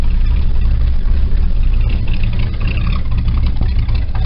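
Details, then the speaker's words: 1968 Cadillac V8, cold start in cold weather, carburetor needs going through: deep, steady, even idle with no misses after warming; low choke idle cause not yet found. "I haven't figured out exactly what the problem is but I'll figure it out and then once it warms up it kicks right up to like seven hundred rpms idly"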